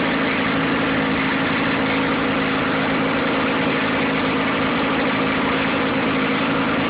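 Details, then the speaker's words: Nissan 9.8 outboard, first start, pull-started on the third pull on a cold day with the choke on and water running: low, slightly uneven idle with a steady drone, idling a little low and rough; cause unconfirmed. "Seems to be idling a little low right out of the box."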